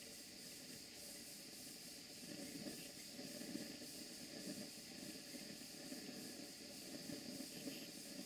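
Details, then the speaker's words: Older Stuart Models No. 4 model steam engine on a Castle Steam V6 boiler: soft, even hiss with gentle regular puffs, no knocks or stumbles; old engine running smoothly and healthy. "this engine runs very well indeed it's old but good just have a listen to the way it runs"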